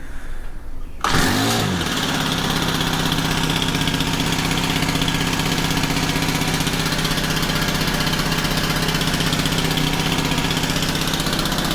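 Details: Honda FG110 after fixing a bad carb with stuck diaphragm/needle that leaked fuel into the crank, no choke: cranks and catches in about a second, even fairly fast idle, no hunting or misfire; slight white smoke, a tad rich.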